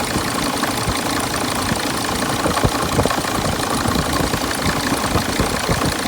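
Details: 2006 Sprinter diesel at idle: loose, irregular knocking mixed into the diesel clatter; cause not determined.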